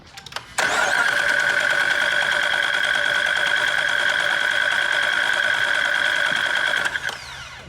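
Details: Wrecked 2018 Dodge Charger police car (AWD) mid-ProCharger supercharger install, fuel cut to bleed fuel pressure: starter grinds steadily about six seconds, engine turns over evenly but never fires.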